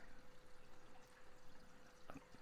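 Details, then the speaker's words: Reef tank overflow drain after adding an air-control valve: even splashing trickle of water falling straight down the pipe and hitting the 90° elbow, no gurgling surges; expected, normal drain flow. "I don't hear that much. I'm hearing water come straight down the pipe right here and hitting the 90, but that's kind of expected."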